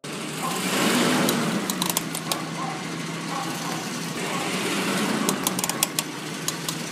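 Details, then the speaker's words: Ford Explorer-type truck: rough rolling crunch with low hum and sharp clicks from worn front wheel bearing; unsure whether inner or outer, so both bearings to be replaced. "puedes ver se escucha como un crujido"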